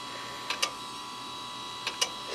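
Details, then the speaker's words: Western Digital 10GB IDE hard drive in a Windows XP SHOUTcast server, in service since 2009, unknown prior hours; quiet hum broken by pairs of sharp clicks about 1.4 s apart, classic click of death. "can you guess can you guess from the sound of the click clunk what brand the drive is if you said Western defective you're right"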